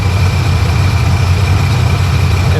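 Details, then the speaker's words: 2005 Sea-Doo GTX idling for about another minute after water was cleared from a hydrolock, oil still watery and awaiting a change: loud, steady low drone with a slightly uneven pulse. "oh now she's burned she's burned she's burned burning out all that BS burning out all that BS"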